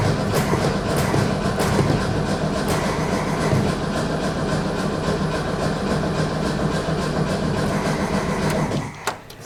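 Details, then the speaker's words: Barn-find VW Beetle engine that sat over twenty years, new coil fitted, fuel tank cleaned: steady starter cranking at about 3.5 turns per second that never fires; cause found to be a carburetor jet packed with old varnish. "This was the problem. It was completely packed with old varnish and crap in there."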